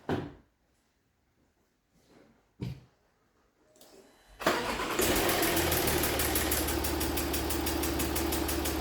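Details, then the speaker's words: Jaguar XF S 3.0 diesel, engine cover off, with knocking and smoke in the cabin: after a few cranks it settles into a loud, rapid chuffing tap about four per second that changes with revs, blowing exhaust fumes at the engine; leaking injector seal. "Yeah, you can hear that, that's quite a loud sort of chuffing sound. And it's coming from down there, so let's have a look what it is."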